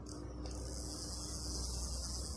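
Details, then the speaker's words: Fishing reel, ultralight: fast, even ratcheting clicks as the handle is turned; it only turns forward and won't turn backward even with the anti-reverse switched off, so the anti-reverse is stuck engaged. "Dan untuk reel ini dia masalahnya cuma bisa mutar ke depan bro, bisa mutar ke depan, ke belakang bisa bro, padahal posisi sudah tidak terkunci"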